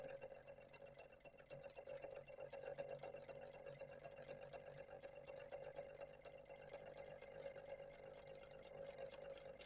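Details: 3D-printed Ferris wheel rotor pulse motor: faint steady buzz with light rapid ticking from the coil pulses, rotor spinning freely; running properly.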